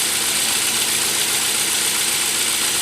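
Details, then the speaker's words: Idling engine shaking with an uneven, stumbling beat two or three times a second. The misfire followed the swapped ignition coil to cylinder 3, and that coil gives no spark. "I know it's hard to pick up on camera with that engine is uh shaking a little bit too much because of the misfires"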